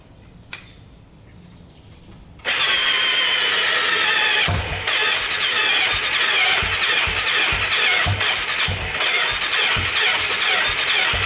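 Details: 2001 Yamaha Warrior 350 ATV, after a short ride: hard regular knock about twice per second over a rough idle; owner suspects the timing chain, not confirmed.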